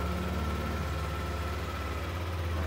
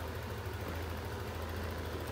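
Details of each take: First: Yamaha NMAX scooter with engine warning light staying on: idle runs fast and never settles low, a steady busy high idle; faulty idle speed control. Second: Yamaha NMAX scooter after fixing a constantly lit indicator and a high idle caused by dirt on the ISC and a throttle setting that was too high: a soft, even, steady idle with no hunting. Idle is now normal.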